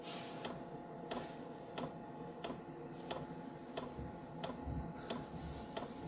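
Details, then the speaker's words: Diesel heater indoors on a Chinese power supply with battery backup, about 2 minutes into a cold start at 5–6°C, 11.3 V, set to high: sharp, even fuel pump ticks about 1.5 per second over a low hum; normal knocking heard only while firing up. "Hear that fuel pump knocking a bit. You hear it knocking as it's firing up, but you won't hear it once it's running."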